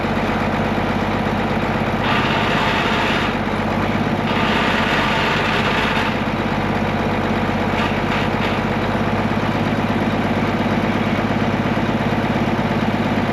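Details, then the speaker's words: Case 1175 tractor diesel parked 15 years, revived with ether: a steady, even diesel clatter at idle with a constant beat and no misses or knocks, healthy; it won't go into gear, suspected clutch out of adjustment or worn out. "It runs. We got that going for us, and it sounds healthy."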